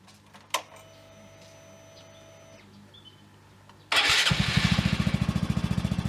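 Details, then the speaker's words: Honda Grom with high-compression piston and high-lift cam fitted: engine fires up and idles with sharp regular tapping about three to four per second over the exhaust beat; mechanical knock before tappet clearance adjustment, cause unconfirmed. "エンジン音の中に、打撃音が聞こえると思います。"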